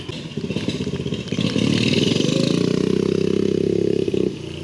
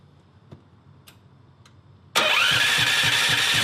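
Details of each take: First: Engine pulses rising with revs and a faint rising whistle over the exhaust on a 420cc turbocharged drift trike with newly installed EFI, reaching 4 psi boost; normal turbo spool. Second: 420cc turbocharged drift trike, just converted to EFI, fuel pump primed: fires and runs with a lumpy, uneven beat about four times a second; timing suspected off, Hall sensor on flywheel may need adjusting.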